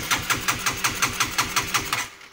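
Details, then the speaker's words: Honda CB150R motorcycle that won't start, MIL blinking 12 times; starter cranks steadily and never catches because the clogged injector isn't spraying fuel; crank no start from clogged injector, to be cleaned manually. "Injektornya rusak. Mari kita bersihkan seperti pada tutorial sebelumnya."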